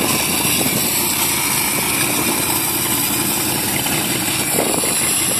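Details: Marlin Roadster engine idling steady and even with hiss up top and no whining tone. This is after reconnecting a disconnected pipe that had caused the whine.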